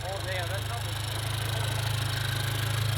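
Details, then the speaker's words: Rebuilt 10th-gen Honda Civic Type R with fully built block and new clutch, first start after rebuild: steady, even low idle hum with no knocks, ticks or misses; sounds healthy, normal idle. "sounds healthy she's alive"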